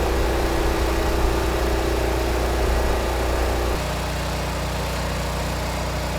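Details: Repaired Generac 20 kW standby generator (model 0058871) at about 12,000 W load: a steady engine drone that deepens slightly as it works harder, no knocks or hunting; THD 4.3%; normal.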